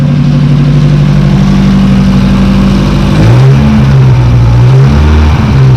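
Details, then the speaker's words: Porsche 924 Turbo, abandoned car just back up and running, at idle with a couple of blips: loud, raspy drone from a hacked-up modified exhaust with no muffler and a hollowed-out catalytic converter. "As you can see, this thing has had a modified exhaust, and somebody has just hacked up all of the exhaust here on it. And there's supposed to be a muffler right here, and that's supposed to be a catalytic converter. That's empty, so somebody had hollowed that out already, and this is not really providing any muffling."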